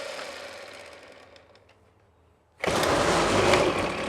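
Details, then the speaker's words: Trash-picked Ryobi 25cc two-stroke string trimmer first start: engine fades and dies off throttle, then catches and screams when opened; runs very lean, won't idle without throttle, carburetor suspected, not confirmed. "how it runs is incredibly lean foreign yeah it won't even try unless I'm on the throttle"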